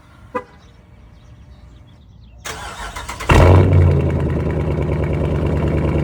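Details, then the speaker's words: Exhaust after the springs were removed from the valves and the valves wired up to cure a bad rattle. The starter cranks briefly, the engine catches in about three seconds and settles into a steady fast idle with no obvious metallic exhaust buzz. "So, I took the spring out of the valves, wired it up. Hopefully, that gets rid of the rattle. Sounds better on the startup, though."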